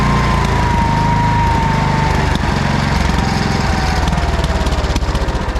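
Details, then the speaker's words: 1979 Kohler K301 12 hp single-cylinder after electrical and carburetor repair: steady, even running while charging at over 14 V with a dead battery; the throttle shaft seems to cause a slight miss. "so it's charging okay it seems to run pretty good"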